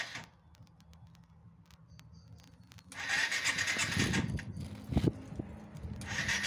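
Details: 1997 Yamaha SR 125 first start after winter storage: quiet cranking tries, catching on about the fourth attempt, then the single settles into a steady idle with rough pulsing; cold start and idle.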